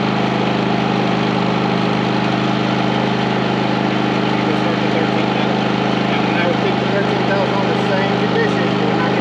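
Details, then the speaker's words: 4500 W generator on a 30 A RV service running 15,000 and 13,500 BTU ACs with soft starts fitted. Steady, even drone with a constant low hum and no dip or jolt as the compressor comes on. The generator carries the load normally. "the answer is yes with power to spare transition of the compressor is kicking in so much smoother um you don't hear that jolt in here which is really nice"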